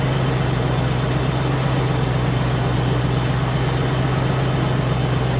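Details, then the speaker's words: Land Rover Discovery 1 3.9 V8, first start after about 18 months standing, fired almost straight away, running up to temperature: even steady low rumble at idle, no knocks, misses or ticks; normal idle. "what I think that did too bad considering it's been stopped for about 18 months it pretty much fired up straight away"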